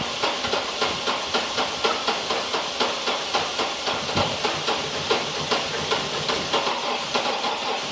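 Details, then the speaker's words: Chevy TrailBlazer V8, 170k miles, cold hard start: starter cranks with even compression pulses about four a second throughout but never fires; cranks, no start, owner suspects dead cylinders. "Looks like it's not going to start today."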